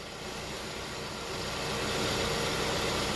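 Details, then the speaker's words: Hyundai Tucson after replacing the belt idler/tensioner pulleys with a manual tensioner, engine idling with AC on loading the belt: steady even idle, smooth belt whir, no squeal or chirp; belt drive now much quieter. "all right guys so that's perfect it's a lot quieter now"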